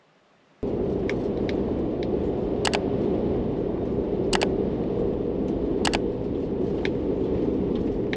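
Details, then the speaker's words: 2021 Ford Bronco MIC hardtop, driving in snow: sharp irregular clicks and pops several a second over road rumble; roof popping noise. "i'm going to talk about that god awful popping and clicking noise that i'm hearing in the roof which i'm sure most of you have too"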